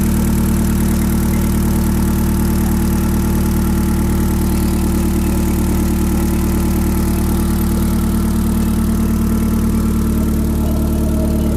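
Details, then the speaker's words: YB Cosworth turbo-powered Mk1 Ford Escort idling at 1,000 rpm after fuel leak repair, first start in 5 weeks, oil still cold, good oil pressure, no boost; smooth even idle with steady low drone, no misses or knocks, no leaks. "Okay, that sounds pretty sweet. And I've got no leaks."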